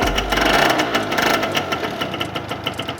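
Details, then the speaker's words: Two-stroke scooter with rusted exhaust renovated and rock wool packing replaced: sharp raspy blip settling to a choppy idle, loud and buzzy; exhaust noise unchanged after the repacking, cause unclear. "Pour dire qu'on a changé la laine de roche, le bruit, c'est toujours le même."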